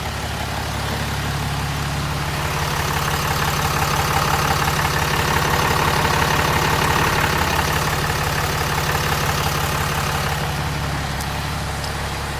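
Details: Ram 6.7 Cummins (codes P2262/P226B): first cold start after replacing the factory VGT turbo with a fixed-geometry Smeding Diesel turbo, before warm-up. Smooth, regular idle with a low rumble and light clatter, no whistles or surges; normal diesel idle.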